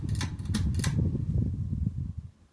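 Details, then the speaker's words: 2004 Harbor Breeze Belhaven ceiling fan with bad bearings, loosely tightened mounting bracket making it shake on medium and high, test run in downdraft: low steady hum with faint uneven rumble as it runs down; still runs good. "Now, even though this fan has bad bearings, it still runs good."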